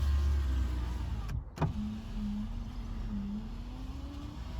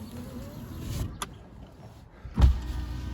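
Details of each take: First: Proton Satria GTI power window: a low, steady motor hum lasting about three seconds between clunks, its pitch sagging as the glass travels. The window works but moves slowly. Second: Proton Satria GTI power window motor runs with a steady, low hum as the glass travels, ending in a soft thump. It works, but quite slowly.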